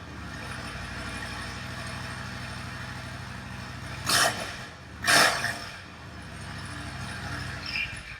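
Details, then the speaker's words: Yamaha XVS1100 V-Star bobber project after opening intake and richening pilot mixture screws about a turn and a half: quiet low run with two sharp pops about a second apart; rear cylinder still popping, misfire. "I noticed at this point then it was just the real cylinder that was popping still"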